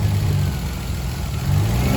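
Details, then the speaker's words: BMW E36 that had been sitting, first start: engine speed surges and sags, unable to settle into a steady idle and smoking; a hole in the intake causes an air leak and unstable idle. "There is a hole in the intake, so"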